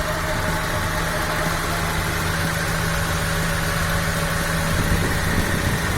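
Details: 1997 Honda Civic Ferio automatic, 1600 cc fuel-injected engine, original 1997 engine: smooth steady idle with a constant low hum, no ticks or knocks, minimal vibration; engine dry with minimal oil seepage; healthy.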